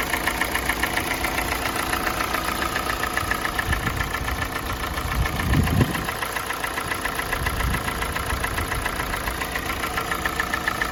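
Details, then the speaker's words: Kia Sportage 2017, G4NA engine, 265,500 km, warming idle with exhaust pipe already warm: steady fast knock about three or four per second that grew with warm-up; unlike the piston knock heard at cold start, cause unknown. "Вот этот стук покоя не дает, но не похож он на поршневой. Поршневой был в самом начале."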